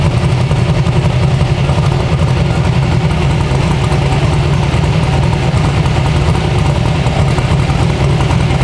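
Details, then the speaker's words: 372 small-block Chevy V8 in an original S10, on an LS tune file with timing added; a deep, steady, lumpy rumble with no stumbles or knocks. Normal idle. "do you want to hear it from the outside that sounds really good out here"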